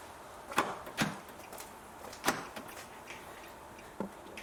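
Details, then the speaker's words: 2009 Nissan Note passenger-side (UK left) door lock actuator after replacement: a few crisp, separate clicks about a second apart. It snaps cleanly and isn't noisy like the old one. "so that solenoid is working okay and it's not noisy like the other one was"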